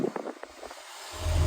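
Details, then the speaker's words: Porsche 993 HVAC: pressing the max AC button gave no blower change. After pushing the control left and up repeatedly, there are clicks and then the fan roar rises and holds steady at maximum blower speed, with no need to replace the unit. "It's very expensive, but you see now you're getting maximum blower speed out of that."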